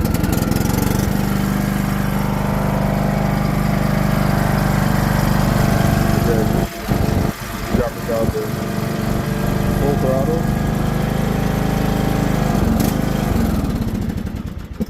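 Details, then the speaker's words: John Deere LA100-series riding mower small engine on full choke: runs loud, then stumbles and dips repeatedly before dying; a clogged main carburetor jet is starving it of fuel, while the idle jet seems fine. "so this one doesn't stay running uh one of the Jets is clogged in the carb so so let's actually take a look at that"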